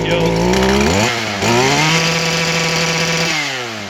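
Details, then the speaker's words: Stihl KM94-RC two-stroke kombi tool, a few months old: high scream hanging and stuttering at full throttle, pitch dropping and jumping back as it bounces on the rev limiter. "the only bad thing about the edger is it vibrates when it's on limiter everything vibrates when it's on limiter"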